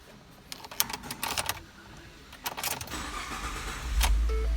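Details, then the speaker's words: 2013 Ford F-150 EcoBoost with a no-crank, no-start fault fixed by reconnecting a loose connector behind the passenger-side panel: key clicks, short crank, engine catches and runs steadily; starts normally now. "truck started all right this is an easy fix anybody can do please if you like this video"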